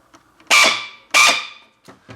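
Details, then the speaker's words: M4 airsoft AEG giving a harsh screech on each trigger pull, with grip vibration and no firing. The cause is incorrect motor height causing the pinion to grind; the fix is adjusting the motor height. "It's got a screeching sound, there's vibration coming from your grip here, and the gun is not shooting."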